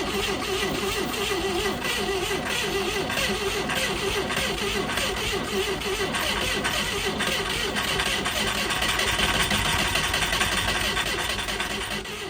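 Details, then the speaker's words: 1980s 700 hp kit supercar engine, seized after 25 years in undergrowth, freed off and started for the first time in decades despite little compression. Ragged, clattering, misfiring running "like a bag of spanners", cause not pinned down. Rough running engine. "Okay. So amazingly, we had a runner. Yes, it sounds like a bag of spanners, but you know, it runs."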